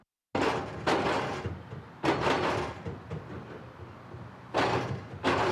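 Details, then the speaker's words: Worn, deformed old expansion joint on Kyiv's Southern Bridge: heavy double thumps in bursts every second or two as each car crosses, cars jump on it and overload the bridge, and drivers have to brake; the joints are due for replacement. "Так звучить старий деформаційний шов. Машини аж підскакують, коли приїжджають, а на мосту з'являються надмірні навантаження."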